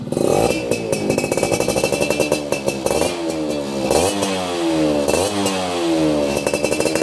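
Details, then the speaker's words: Yamaha F1ZR 2000 two-stroke motorcycle before restoration, engine runs but bike not rideable: crisp rapid crackle climbing and falling smoothly with throttle blips; engine sounds healthy. "Oke, gaskeun. renyah suaranya ya."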